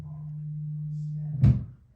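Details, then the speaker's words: Audio-Technica AT-LP120XUSB turntable connected directly to a Dell computer, built-in preamp still in; steady low hum, worse when left sitting, then a thump as the turntable is set down and hum drops away; electrical hum, cause unknown. "Okay, you hear this hum? It's actually worse when I just let it sit."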